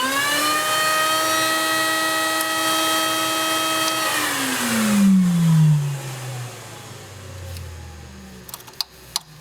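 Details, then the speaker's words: Factory Cat 390 floor scrubber: the vacuum motor is switched on by the off-aisle vacuum switch used for a wand on the rear recovery system. A clean, high steady whine at constant pitch, then a smooth spin-down; the vacuum motor is healthy. "So if you have remote areas that you need to pick up solution or water that the machine can't get to, by turning this switch up and attaching a vacuum wand to the recovery system in the rear, it'll automatically turn on my vacuum motor."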